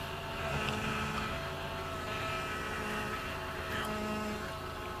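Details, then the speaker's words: 2007 Chevy Impala LT at idle: thin steady whine from the power steering pump, pitch dropping lower as the wheel is turned; owner suspects low power steering fluid, unconfirmed. "so do you hear that whine I don't know how well it's audible but I know it's power steering cuz every time I turn my"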